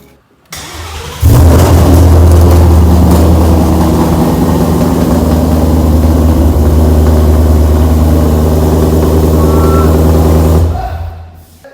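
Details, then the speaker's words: 2017 Mustang GT 5.0 with Roush stage one supercharger and full Kooks exhaust with headers, first start after battery boost; brief crank then very loud deep steady V8 rumble with smoke, running fine; loud exhaust on first start. "got so we got a bunch of smoke that was insanely loud guys it does have a full exhaust on it"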